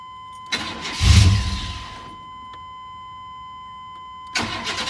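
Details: 1999 Chevrolet Tahoe 5.7 V8 4x4, formerly a no-start, after cleaning the cab fuse 21 contacts: first crank catches briefly, roars and dies, then a second crank fires and keeps running. Normal start.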